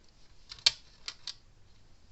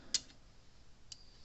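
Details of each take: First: Gallagher Power Plus S50 solar electric fence charger on a 13 V bench supply after a broken-switch fix: sharp, loud snaps about once a second over a faint hum; output good but pulse abnormally loud, pointing to an aging, failing transformer. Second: Gallagher Power Plus S50 solar electric fence charger after new transformer fitted, output almost 10,000 volts: soft, crisp ticks about one second apart, quieter than before; normal pulse.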